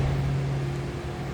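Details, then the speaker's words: 1990 Cadillac Brougham, 5-liter V8, automatic with overdrive, 55,991 miles, just after a cold start: steady low hum with an even, slightly raised idle and no knocks or ticks; normal cold-start fast idle. "That was a cold start too, so we may have a little higher idle here for a bit."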